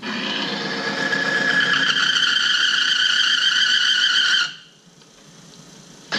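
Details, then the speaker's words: Oil friction tester running conventional motor oil with 5,000 miles on it: a piercing steady squeal climbs slightly in pitch under load, then cuts off abruptly as the oil film fails and the tester locks up just below 5:15. "all right 5,000 miles you can hear the noise and when it finally locks up"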